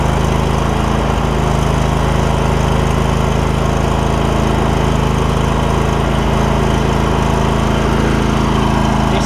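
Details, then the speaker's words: Steady, even V-twin drone at constant speed on a John Deere L120 lawn tractor with 51 hours and some oil drips; no misses, knocks or surging, running well. "see, it's running good."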